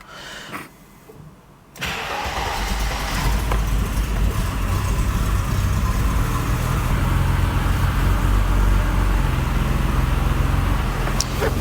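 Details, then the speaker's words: Mercedes R107 300 SL after ignition work, previously crank-no-start, plugs gapped 0.8: short crank, catches straight away, steady even idle without misfire. "so fitted the distributor cap started up no problem at all and then we left the car running for about half an hour just on idle"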